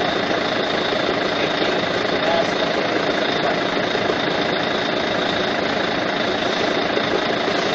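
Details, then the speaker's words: Volvo truck with cab raised, noise at front of engine that continues while it spins down after shutoff: constant high whirr over steady diesel idle; fan hub bearing seized, needs replacement. "sekarang kabinnya telah saya naikan kita coba untuk start dan kita bisa dengar noisenya dari mana ya"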